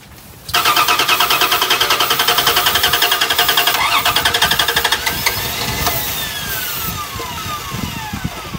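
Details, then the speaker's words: Old Dodge Dakota from Florida, rusty: steady quick cranking but engine never catches, even with starting fluid; no fuel pressure at gauge, fuel pump suspected dead. "you can't get no fuel boys I was afraid of that all right turn the key on and I'll check fuel pressure all right this little thing right there on that is no fuel pressure okay that's not good"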